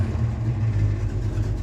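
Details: Ford Mustang after new alternator and headlight: smooth, steady low idle around 900 rpm off the fast idle cam, about 14 V charging (14.5–14.6 V at battery), no whine or squeal from the charging side; runs fine.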